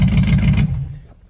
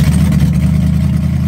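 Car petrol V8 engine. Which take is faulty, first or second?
first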